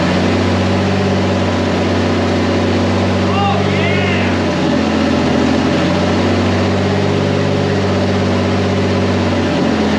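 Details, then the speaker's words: Turbocharged 1951 Chevy rat rod, first start after a chassis swap with new exhaust and intake, started on the first crank. Steady, even low rumble with a smooth firing beat; running normally, with some issues still to sort. "we have some stuff we have to figure out but i mean it's running i'm so excited"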